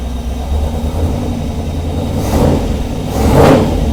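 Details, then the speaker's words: 1948 Mercury pickup after its first start in 50+ years, oil pressure good: a deep steady V8 rumble swells cleanly with two throttle blips, no stumble or misfire. Runs well, with slight startup hesitation; the mixture is possibly a bit off. "So, Mercury is running and pretty good, I might add. has a little bit of hesitation on startup, but if I really give it gas, it starts up."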